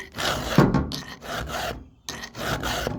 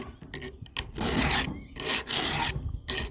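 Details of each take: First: Filing a sharpened cutter on the chain of a 20-some-year-old 880 chainsaw: even rasping file strokes with short pauses, gliding smoothly without catching, so the cutter is already sharp. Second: Filing an unsharpened cutter on the chain of a 20-some-year-old 880 chainsaw: rasping strokes about once a second, rough and grabbing on each pass as the file catches the dull tooth.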